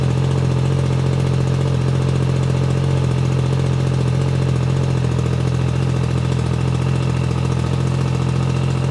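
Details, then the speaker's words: Yamaha MT-09 cold start after reinstalling a flashed ECU, check engine light on: even, steady idle with firm low tone and regular firing, no ticks or knocks; sounds healthy. "That is a cold start. Gee. Sounds awesome."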